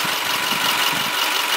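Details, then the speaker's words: 2010 Subaru Forester, 5-speed manual, 4-cylinder boxer engine, hood open: steady, very quiet even idle with no ticking, knocking or belt squeal, normal idle. "Very quiet. No odd belt noises or belt squeals or anything like that."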